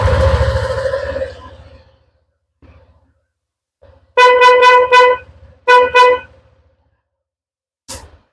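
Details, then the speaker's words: Honda ADV 150/160 scooter dual snail horn set: short honks carry only one steady mid-pitched tone with no second note, so one horn is dead; cause unknown, possibly a broken wire or faulty horn. "ya jadi suaranya sebelah ini hidupnya teman-teman jadi Sudah bisa kita lihat ya Eh Apakah ini ada kabel yang putus atau mungkin eh klaksonnya itu yang bermasalah gitu ya"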